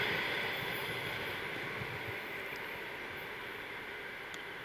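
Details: TEP70-0356 diesel passenger locomotive after a medium overhaul at Voronezh TRZ in November 2022, hauling a passenger train: a steady high whistle over the rushing diesel run, turbo spooling evenly. Normal turbocharger whistle.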